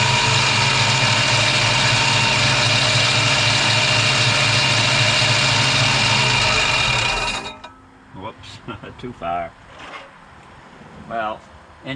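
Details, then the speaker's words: 1965 Mustang 289 V8 after a camshaft replacement: it idles at a steady, fairly brisk even beat with no knock or miss heard, then shuts off. A separate noise was traced to a forgotten flashlight bending the alternator tabs. "you get the idea it actually runs so that's it for now"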